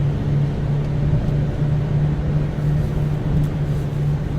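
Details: Subaru Outback wagon cruising about 65 mph on a wet, snowy highway, original struts: a low steady buzzing hum rides over road rumble and swells at times; the source is still unknown.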